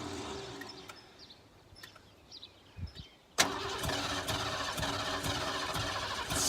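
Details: Ford F-150 sat about ten years, building oil pressure while cranking, fed starting spray: steady cranking with a sharp sputter or two as it tries to catch but won't run on its own; cranks but does not start.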